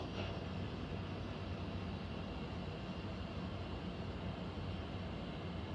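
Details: Central air conditioner air handler, heard in a bedroom and seeming to come from above the closet, gives a constant low rumble with a faint airy hiss and no clear rhythm; abnormal noise, cause unclear, possible leak questioned.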